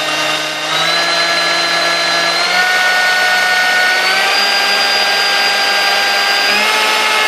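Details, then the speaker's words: Sunbeam Mixmaster 1-8B mixer after servicing, with the oil wicks repacked with oiled felt and a bad resistor replaced: a steady motor whine steps up cleanly through every speed with no rubbing or grinding. Running normally. "all right as you taught I run smooth through all the gears and it's ready to go go back home and get put back to work there"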